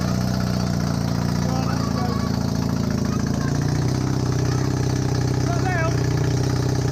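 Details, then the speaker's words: Honda CB250N Superdream twin project bike, first start, with new spark plugs, on part choke. A low, uneven burbling idle with a slightly wandering beat. First-start idle; large front oil leak. "i'm just so bloody happy right now finally we got some life out of it"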